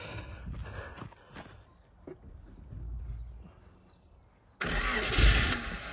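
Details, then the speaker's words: 1977 Honda Civic, last registered 1987, rolled over, first start in 37 years on a jump pack with no fuel system, fuel dumped into the carburetor while cranking: quiet cranking, then catches and roars up running rough; success. "okay I'm going to call that a success that's pretty good for no fuel system not touching anything"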